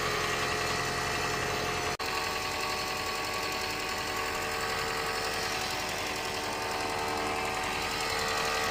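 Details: 2nd generation Toyota Prius with the heater on: loud, steady rushing roar with a faint irregular beat, about three or four a second; the owner says it is not a blower issue, source not pinned down.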